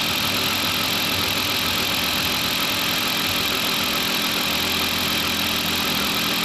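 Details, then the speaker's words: Newly installed engine at first idle after cam/crank relearn, cold and warming, belts off, no coolant but oil filled, a little smoke expected; steady even idle, smooth unchanging beat under airy hiss, no knocks or misses; normal. "Just running. I don't have nothing hooked up down here. The belts aren't on, and it's dry of coolant, but there's definitely oil."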